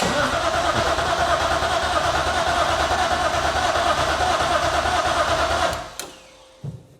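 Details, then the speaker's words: BMW E36 SpecE36 race car, fuel system primed, true first start after rewiring: starter churns steadily about six seconds, engine never catches, no fuel pump hum; crank no start, later traced to fuel pump/main relay-ECU wiring from a moved bracket. "all right so this isn't going well so far what did I forget I probably forgot a ground somewhere or something I don't think I hear the fuel pumps are run on I'm probably an idiot what the heck did I forget"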